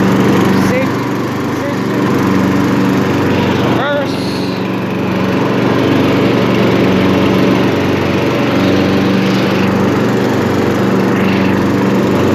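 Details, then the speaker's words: Craftsman LT1000 lawn tractor, 18hp Briggs & Stratton, 42" cut, six-speed, freshly tuned up (oil, air filter, plug, fresh gas), running with lights on; steady even drone, smooth low hum, no misses or hunting: normal running. "reverse lay it's off lights are on purrs like a kitten"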